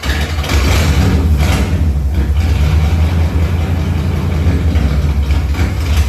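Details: Tribute Camaro after new fuel tank, fuel pump and sending unit: deep steady rumble settles straight into an even run with no misses or knocks; normal start and idle.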